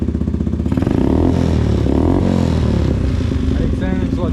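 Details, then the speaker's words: 2022 Yamasaki YM50 motorbike swapped to a 125cc engine, electric start, exhaust with no baffles: deep, even popping exhaust climbing cleanly with each throttle blip; runs well, just loud. "clutching it has got a clutch cut off electric start go as you can hear the exhaust has no buffles"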